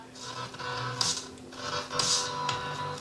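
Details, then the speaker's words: Yamaha EM100 mixer amplifier, input applied, controls moved: hissy crackling bursts about once a second over a faint hum; dirty, scratchy potentiometers, and no output on the right channel. "Sounds like our controls are very dirty for one."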